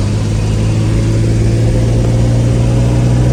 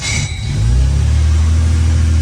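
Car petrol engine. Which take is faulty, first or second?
second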